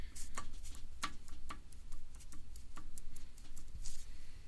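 Sharp, hollow knocks tap out about four to five times a second over a low engine hum: piston slap.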